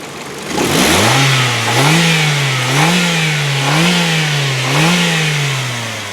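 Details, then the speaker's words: 2001 Ford Focus SE, 2.0-litre 16-valve four-cylinder Zetec engine, under-hood revving: five quick blips rise and fall cleanly with no high-rev knocks, valve train noise or taps, a healthy engine. "now of course you don't have to be a mechanic to know that that sounds good no High Rev knocks there's no valve train noise no Taps nothing funny at all on the vehicle"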